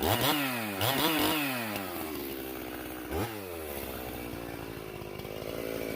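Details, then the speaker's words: Stihl MS391 chainsaw after a muffler mod and hanging-idle fix: quick clean revs that climb and drop sharply, then a steady run, with much better throttle response; high speed set around 12,200 rpm against a 12.5k limiter. "so the throttle response is so much better with this thing muffler opened up"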